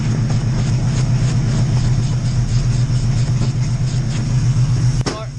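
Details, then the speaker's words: Oldsmobile Cutlass V8 after Edelbrock carburetor rebuild, just started with good oil pressure: deep lumpy idle about four pulses a second with stumbles and popping; runs rough, carb needs adjusting. "carbs on and she's running so [Music] it's not running that great but i mean it's running so uh that's it for now guys"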